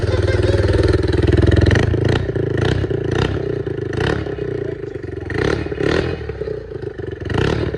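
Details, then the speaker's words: Yamaha AG200 single after rebuild, with a new CDI fixing an intermittent spark, not yet tuned: fast fairly even thump with revving, keeps running; healthy but untuned. "I'm so stoked to get that running I'm going to sit here and Fiddle around with it for a little while hopefully get it tuned"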